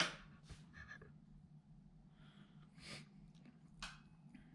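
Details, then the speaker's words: Vintage Pioneer SX-1250 receiver after left-channel repair, with relay replaced and bias/offset set: brief sharp click just after switch-on over a faint hum as the protection relay pulls in normally. "you hear the relay click on there"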